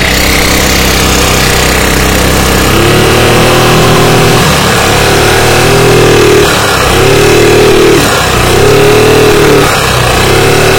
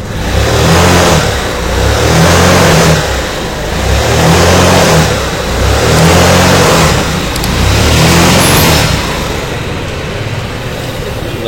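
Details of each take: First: Carbureted Yamaha Mio scooter that loses power and won't move under throttle, revving with a harsh, busy clatter that rises with revs; valve clearance found far too large from a worn camshaft. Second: Yamaha Mio carburetor scooter that lost power and would not move, after CVT and carburetor adjustment: engine climbs cleanly and drops back in even rev swells, smooth pickup; throttle response now normal.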